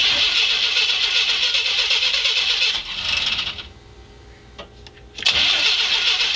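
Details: Engine cranks but won't start: starter whirs at about four beats a second, pauses, then cranks again, never firing; runs briefly on starter fluid, fuel filter and pump already replaced, fuel delivery suspected.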